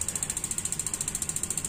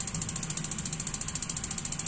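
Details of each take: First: Gas water heater not lighting: fast thin igniter ticking, about twelve clicks a second, no burner whoosh or solenoid click; suspected too-high LPG regulator pressure or weak battery, not confirmed. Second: Gas water heater igniter check: steady rapid ticking about ten per second, then one firmer click as the gas solenoid opens; normal.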